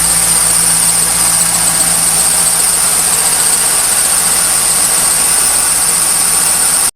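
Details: 1998 Pontiac Trans Am V8 idling cold just after startup: shrill, steady bird-like chirping squeal lasting about 10 minutes, audible throughout the garage; caused by a dry-rotted A/C belt, though pulleys can also cause it.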